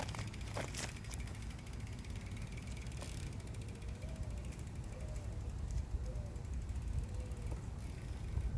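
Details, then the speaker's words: BMX rear wheel with Shadow Conspiracy Symbol cassette hub, freewheeling: fast, even pawl ticking partly buried under wind rumble; a healthy, crisp hub. "just wanted to give you a chance to hear what the shadow hub sounds like"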